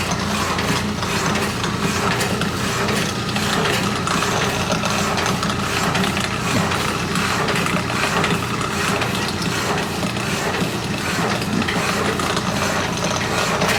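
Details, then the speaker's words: Walker Turner drill press, in a shop being moved, powered up to check it hums: steady even motor hum with a light regular spindle tick, no grinding or wobble; runs healthy. "This is the Walker Turner drill press. See if it hums."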